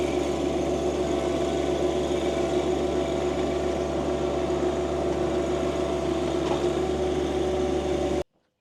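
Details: John Deere 2025R compact tractor and a Tarter RT205 rototiller, repaired after the top gearbox lost oil and seized. It is working garden soil under load, recorded from a tripod. Steady, even drone with no knocking, grinding or clunks: normal operation under load.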